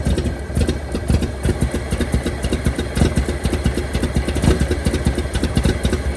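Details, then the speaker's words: 1923 Franklin Model 10, cut down into a truck in wartime, started after sitting about 76 years with gas poured in: uneven, lumpy idle with irregular exhaust pulses, slight smoke from engine stop leak; rough running, owner suspects lost spark. "oh yeah that was my fault or uh why came loose I think it's just running crappy it's running"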